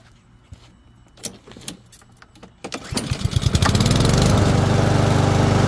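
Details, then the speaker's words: Husqvarna self-propelled mower after drive belt and stripped wheel drive gear replacement: engine catches and settles into a strong, steady, even beat; drive pulls hard, runs like new. "so as you can see it works properly it literally almost pulled me into my own car and it um everything's working basically like brand new now"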